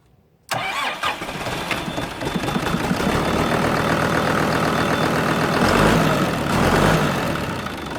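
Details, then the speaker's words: Kubota M120 tractor diesel after fire repair and fuel-system bleeding, low on coolant from burned heater hoses: quick crank, then catches and holds a steady knock-free idle about four beats a second; starts and runs fine. "all right now that we got her running i'm gonna fire it up and see if we can get it in gear and make it move"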